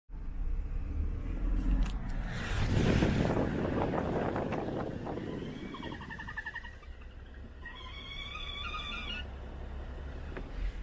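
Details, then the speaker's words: BMW N55 engine idling, noise said to be worse at operating temperature: a wavering hoot-like whistle comes and goes; crankcase pressure leaking past a faulty front or rear crankshaft seal (manufacturing error, SI B11 03 11); both seals to be replaced. "So the reason why this thing is making noise, it's the crankcase. It's dissipating the crankcase pressure, and it's leaking out through the seals, through the front crankshaft seal or the rear crankshaft seal."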